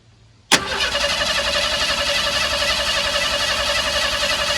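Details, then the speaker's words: Old truck, carburetor just rebuilt and fuel confirmed. Starter engages and cranks steadily with no catch; won't start, and a lack of spark from the distributor points/ignition module is suspected. "so I'm beginning to wonder if I have spark if we're not getting spark then I know we have a problem with the point system inside our distributor"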